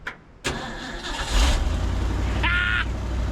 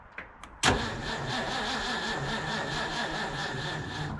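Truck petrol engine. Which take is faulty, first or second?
second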